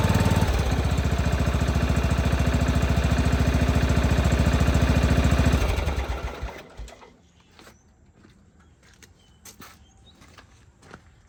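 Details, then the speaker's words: John Deere 165 Hydro lawn tractor after a new ignition coil set at 0.012 in air gap, with an Amazon igniter chip fitted: runs with a steady even thump of about 214 a minute for five seconds, then shut off; healthy running. "And that was just running with one of the Amazon Ignitor chip deals on it too."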